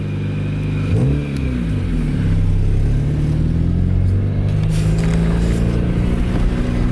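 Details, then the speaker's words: Barn-find Honda CRX Si with a crusty, rotted 30-year-old exhaust that ends midway under the car, before replacement at a muffler shop: loud, raspy, tractor-like low drone that rises and blats with each rev. "it sounds like a tractor. But yeah, it sounds awful. The exhaust comes out like midways."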